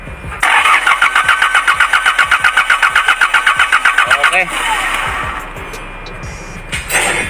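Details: Hyundai Porter2 D4CB CRDi diesel: starter cranks steadily about four beats a second for four seconds and never fires; crank-no-start with code P0193, fuel rail pressure sensor circuit fault.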